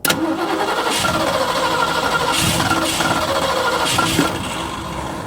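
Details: 1966 Ford Ranchero, factory V8 with manual choke, cranked with throttle held: starter turns the engine in uneven bursts for several seconds, never catching; cranks but won't start.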